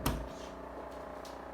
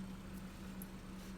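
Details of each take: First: Daewoo RS30 fridge making a steady buzzing hum with rattly edge; noise comes from the compressor area at the back bottom, caused by a vibrating compressor pipe. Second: Daewoo fridge, after the fix: the noise had come from a vibrating pipe at the back by the compressor, which was stuck down. Now a low, steady, quiet compressor hum with no rattle or buzzing pipe; normal quiet running.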